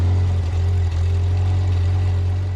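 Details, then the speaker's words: Upright AB62RT boom lift engine, sat unused over a year, first start after rewiring, running on old fuel: steady deep even drone with smooth low beat, no misses or knocks; runs cleanly. "I just want to say did you listen to that purr that's still on that old fuel"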